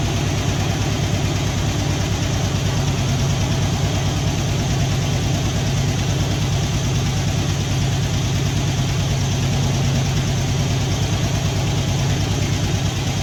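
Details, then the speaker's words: Poly 318 V8 swapped from a 66 Dodge Coronet into a 64 Dodge D300, first run-up and idling, valve cover gaskets missing, smoke from manifold: light quick clickety-clack from the lifters over a slightly uneven, stuttering beat. "so it's got a little bit of a stutter to it you can hear you know you can hear some clickity clacking from the lifter"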